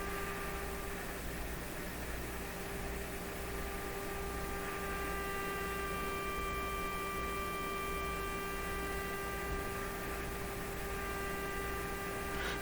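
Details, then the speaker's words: RCA Victor A38 shortwave tube radio fed a sine-wave signal generator: steady ~400 Hz tone with raspy overtone buzz over hiss; scope shows odd waveform, distortion source not found. "well that's a pretty odd looking thing that's what we're hearing it should be a beautiful sine wave"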